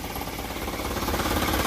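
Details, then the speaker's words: Isuzu Elf Blue Sky truck diesel, tuned by the previous owner, idling at about 500 rpm: even, rapid clattering pulses with a coarse, husky rasp. Normal tuned idle. "ini RPM ada di berapa Hai PPM ada di 500 ya Satukan 1000"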